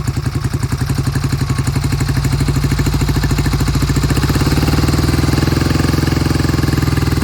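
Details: 1971 Triumph T120 650cc twin, cold start after long sitting: lumpy, uneven firing with the left cylinder cutting in and out, never coming in consistently.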